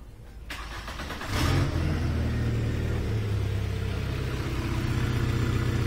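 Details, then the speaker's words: VW A3 2.0L (Mk3 Golf/Jetta platform, possibly automatic) with no power and intake droning on acceleration: front O2 sensor removed to open exhaust, engine runs loud and raspy but now smooth with power; catalytic converter rattles inside, plugged exhaust. "a little bit noisy because of the open exhaust so now that the engine can breathe it has power and it's smooth power"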